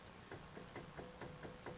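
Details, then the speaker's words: 2011 Honda Odyssey, passenger front wheel rocked by hand at nine and three: dull clunks about four per second, loose also at twelve and six, unlike the stiff driver side; worn hub assembly, replaced with Honda OE unit. "now this is again nine and three we're grabbing i don't even know you might be able to hear that that's it's loose you can definitely feel it going at twelve and six"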